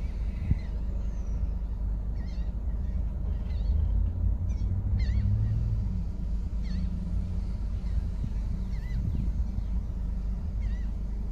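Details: Ford DPS6 dual-clutch transmission after clutch replacement, idle touch-point adaptation: a steady low idle with small dips and recoveries as the clutches gently take up. The engine is healthy and the idle even.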